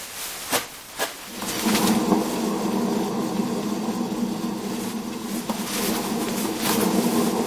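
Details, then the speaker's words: Suzuki Jimny JB43, raised front wheel spun by hand: a couple of knocks, then a steady rough, gritty growl from a dead front wheel bearing; the other side made only disc-on-pad rubbing. "Bah là, il y a pas photo. Le roulement, il est mort."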